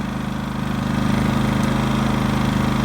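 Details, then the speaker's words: Harbor Freight Predator 5000 W dual-fuel generator, brand new, first startup: steady, even single-cylinder putter at idle with no knocks or misses, quite quiet; a little new-engine oil smoke expected to clear during break-in. "Little bit of smoke, but that should clear up after a few minutes. It's actually quite quiet."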